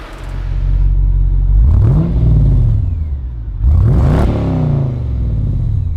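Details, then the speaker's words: Holden VE Commodore SS V8 (L98), about 240,000 km, radiator fan vibrating: two clean throttle blips, deep V8 rumble climbs smoothly in pitch and falls back evenly, no knocks or rattles; engine runs great. "that sounds awesome i want a v8 but i want one that isn't a turd"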